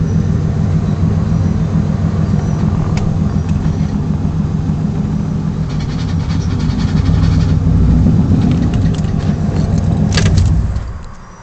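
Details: Idling manual car: low, rough rumble with faint irregular ticking. Owner says bad pilot bearing; not confirmed.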